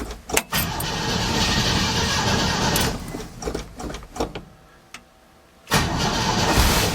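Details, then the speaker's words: 1968 Chevy C10 V8 after Holley carb work (carb gasket had been sucking air, causing no idle) and distributor clamp refit, on battery charger: cranks, catches and settles into steady, even running, no misses or knocks; fuel spewing from the carb, warming up. "Well, she's running. Fuel spewing out of the carb, so that's a good sign for now. Let's let her warm up."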